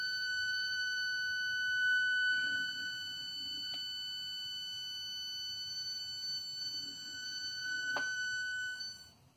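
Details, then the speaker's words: Small motor driven from an Arduino via a motor driver board and 0–5 V throttle potentiometer gives a steady, high-pitched whine of constant pitch, because the PWM frequency sits in the audible range rather than above 18–25 kHz. "The Arduino software is not meant for that right now, so you pretty much will hear that whining noise."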